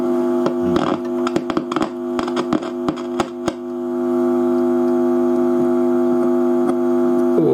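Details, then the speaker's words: Fidelity HF45 record player with BSR deck, first power-up after tightening loose plug wiring, motor running: steady buzzing hum with scattered crackles and thin, quiet cartridge output; amplifier unhealthy, owner suspects controls as on an identical unit, cause unconfirmed. "It is a little bit on the quiet side, but that could be the volume control. It isn't [music] sounding at all healthy."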